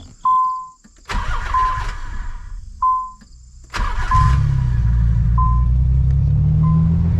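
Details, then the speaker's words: Silver Nissan 300ZX at startup, in neutral on bricks: chimes, two short cranks, then a deep, steady idle with an even exhaust note, quieter as expected; normal start and idle. "Wow, dude. No way. I don't know what I expected because obviously it's going to be quieter. It sounds awesome."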